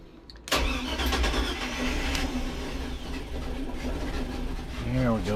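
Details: Mercruiser 350 Mag engine on a Sea Ray 320 boat, after a fuel filter change (Cool Fuel 3 module) and repriming by cycling the ignition 3–4 times: steady cranking roar after a quiet start, then it catches and settles into an even run.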